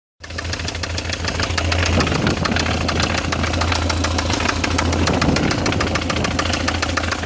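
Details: BMW E46 318i M43TU at idle: sharp, fast regular ticking knock, three to four a second over a steady hum; owner suspects the chain tensioner, unconfirmed.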